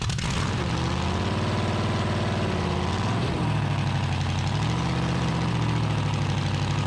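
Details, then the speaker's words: 1974 Dodge D100, 383 big-block with solid lifters and new headers, on a cold-morning start after advancing the timing: a steady, lumpy idle with a deep even burble and no ticks or knocks, running fine though the idle needs raising. "better turn your idle up a little bit huh yeah sounds pretty good though sounds good do it huh yeah no funny noises"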